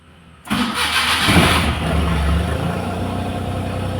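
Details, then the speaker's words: Maruti Suzuki Omni MPFI that previously cranked without starting, with its key-on hum now restored; short crank, fires at once and settles to steady even idle; normal start. "ഇപ്പൊ ആ മൂളിച്ചയും കാര്യങ്ങളും ഒക്കെ കേൾക്കുന്നുണ്ട് start ചെയ്യുമ്പോൾ ഒറ്റയടിക്ക് തന്നെ വണ്ടി start"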